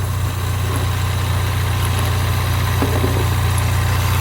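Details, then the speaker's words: 2016 Ford Mustang EcoBoost four-cylinder, which a shop said was bad, at idle. Steady, even low rumble with no knocks or misses. The owner calls it a good motor: brown plugs, plenty of power, no smoke, good oil pressure. "good motor. Runs good. Got plenty of power. Doesn't smoke. Starts right up when it's hot. Good oil pressure."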